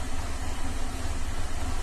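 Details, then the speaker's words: 2007 Cadillac STS 3.6 at idle, codes P0300/P0302/P0304/P0306 and P0017/P0019: low, rough, stumbling misfire on all of bank 2; cause unconfirmed, owner suspects cam timing or plugged exhaust. "And it's idling right now, but it's running rough and misfiring on that whole bank."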